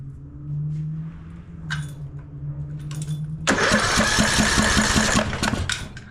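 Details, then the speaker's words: Craftsman LT1000 mower, single-cylinder Briggs & Stratton 17.5 Intek, coil kill wire unplugged to isolate the coil from wiring and safety switches: starter spins a steady two to three turns a second but never fires; no spark, confirming a bad ignition coil. "there she is just a bad bad little coil"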